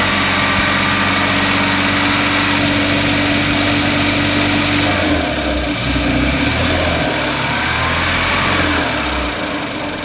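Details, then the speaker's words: 1979 210 (4-cylinder, carbureted) after choke fix, idling high with air cleaner off: steady repeating stumble about four times a second; constant misfire, pulling wires 1 and 4 kills it, 2 and 3 do nothing; compression test planned. "It is a steady one. That's not on misfire."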